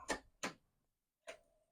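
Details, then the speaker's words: Commodore Amiga 1000 powered up after about 30 years stored, booting a Kickstart disk; only three isolated dry ticks from the floppy drive, no normal stepping; drive likely not seeking or loading, suspected. "yet you know what to me it just doesn't sound like the disc drive is doing its thing it just doesn't and so I don't imagine it will load anything one thing I don't hear the drive clicking"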